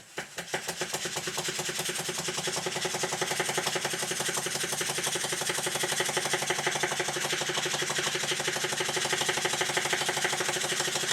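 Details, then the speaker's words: Stuart beam model steam engine test run at high speed with steam oil injected: fast, steady knock over hissing exhaust, partly from wrongly placed valve leaving parts uncushioned at stroke ends; crank pin also loose in web. "knocking that you can hear is partly due to the fact of the valve being in the wrong place. The parts are not being cushioned at the end of each stroke, so you get this knock."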